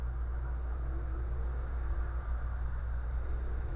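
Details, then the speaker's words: Brastemp microwave that made a buzzing noise when switched on, after replacing the magnetron, suspected of an internal short. A steady low hum with a faint constant high tone and no buzzing or crackle; it now runs perfectly. "então a gente fazia aquela zueira agora funcionando perfeitamente"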